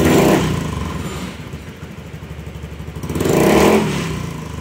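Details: Honda Beat scooter with an intermittent bogging problem, after a new ECU was fitted and initialized; the engine revs up cleanly, drops back and climbs again smoothly with no stumble or misfire. It now revs normally.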